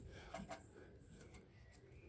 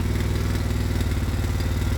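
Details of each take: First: Ransomes Marquis mower with Kohler engine: after a quiet pause the engine catches and settles into an even, steady low thump with no knocks or misses; healthy idle, purring. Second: Quad (ATV) engine racing after CDI unit fiddling; fast, clattery single-cylinder beat held high without throttle input instead of dropping to tickover; carburettor out of adjustment, so it roars when started.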